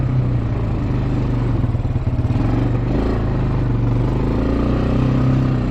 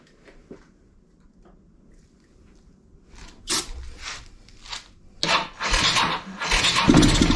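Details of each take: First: Bayou 220 ATV, sat for 8 years, on a test ride with a helmet camera; the single-cylinder thump pulls cleanly through the gears with even pulses under some wind. All gears work, no bogging. Normal running. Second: Kawasaki Bayou 220 ATV, sat eight years, seventh start attempt on starting fluid, no fuel tank fitted: quiet cranking then the single catches and sputters unevenly, won't keep running without fuel feed; carburetor and petcock suspect.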